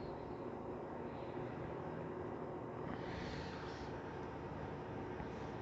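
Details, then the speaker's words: LG WD13BVC2S6C washer-dryer at full spin, 700–750 rpm and rising, with an insulating pipe tube damping the drain hose: steady even whoosh, fairly quiet, no knocking, banging or grinding. Healthy spin. "Vemos que no hace casi ruido, casi ni se siente el ruido. El centrifugado también está bastante bajo."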